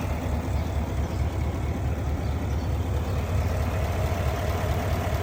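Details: GMC/Cadillac engine with check engine light: deep idle with uneven, lumpy pulse about two beats a second and occasional stumble; idle misfire.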